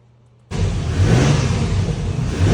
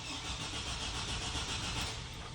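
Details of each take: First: 2004 Chevy Silverado 4.3L RWD after a crank-no-start, with the distributor cap back on: a sudden catch into a steady, even low running note after a few more cranks; owner thinks it might have been flooded. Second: 2004 Chevy Silverado 4.3L RWD, crank no start with 60 psi fuel pressure, good fuses and no codes; tachometer shows no RPM while cranking: starter spins steadily but engine never fires; suspected crankshaft position sensor failure or its wiring/power.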